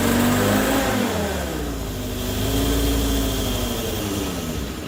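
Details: Morris Minor 1000 van engine with a Judson supercharger first running: busy metallic rattle and a hoarse sucking rasp from the one-barrel carburetor that rise with the revs; the supercharger was expected to be noisy.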